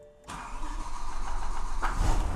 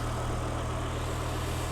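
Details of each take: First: BMW E92 M3 with an S85 V10 swap on a MaxxECU, started after writing a new map file: cranks, catches, runs lumpy and uneven for several seconds, then dies; rough start and stall. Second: BMW E92 M3 with swapped S85 V10, MaxxECU and DCT gearbox, first start after remote mapping; cold, just started, before warm-up. Deep, even, steady idle with constant low hum, no misses or surging; diesel-like rattle is only the camera. Normal smooth idle.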